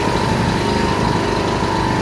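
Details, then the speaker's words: Yamaha EF1000is generator running with fuel shut off to empty the carb bowl before storage: steady, even beat with constant note, no surging or stumbling; sounds healthy, normal running. "So I just turned the gas off, and you can let this thing run, and it will actually empty out the carb bowl."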